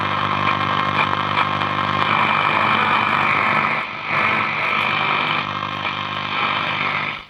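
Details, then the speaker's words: Breville Pick-Me-Up 5 valve radio working with HT near 186 V: loud steady hiss and buzz with a low hum underneath from workshop electrical interference; adding an earth cable reduces the noise. "quieten this one down. I'll put an earth cable on and you'll see the difference with this. Mind you, there's still a lot of rubbish in this workshop."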